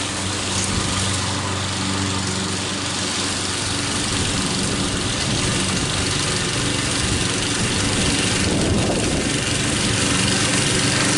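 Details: Troy-Bilt mower with a "Frankenstein" engine built from another engine's parts, after a new head gasket: the single-cylinder pulls steadily through grass at an even pace, no hunting or surging; running properly.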